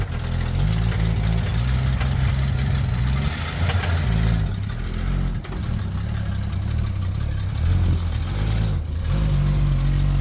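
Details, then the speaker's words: 1966 Ford Mustang project car, old V8 idling low and uneven, the beat sagging and wavering as if about to stall; rough idle, cause unclear. "I'm so scared. Sounds like it's gonna die."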